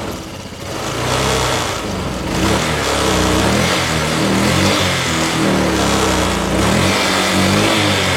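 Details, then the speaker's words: Honda Vario scooter after valve clearance adjustment for a rough, noisy engine: steady, even running that rises and settles smoothly with throttle, no knock or rattle; engine now quiet and smooth. "nah oke Guys jadi untuk suara mesin itu udah adem udah halus ya"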